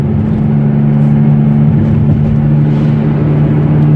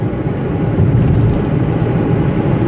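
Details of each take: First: Toyota Etios coasting in neutral downhill on level road: steady low humming drone over road rumble; suspected worn front wheel bearing, front right side, to be checked at workshop. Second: Toyota Etios coasting in neutral on a level road after wheel bearing replacement, earlier humming thought to come from the front right: soft, even road rumble from worn tire tread only, bearing hum fully gone.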